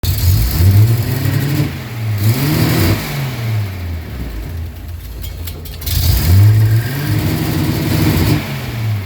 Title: 280Z running with applied throttle, rough idle, and stall